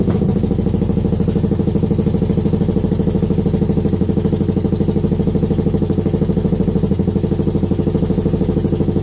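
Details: Kawasaki Brute Force V-twin first start after rebuild; steady, even lumpy idle of about three pulses a second with no knocks or rattles: normal idle.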